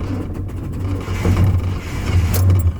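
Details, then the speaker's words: Swapped 1000+ hp Camaro pulling into a parking lot, died about five times, cause unknown: uneven note that surges and sags, then fades as if dying; engine stalling. "This shit's dying. I don't know what the [ __ ] the matter with it. This [ __ ] just died [ __ ] like five times."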